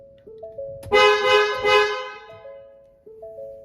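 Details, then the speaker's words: Ford Explorer (2011-2019, Police Interceptor Utility) with a new clock spring; the horn did not work before: door chimes, then two loud, full, even honks, so the horn now works normally. "I'm now going to test the horn for the first time which was not working before I replace the clock spring"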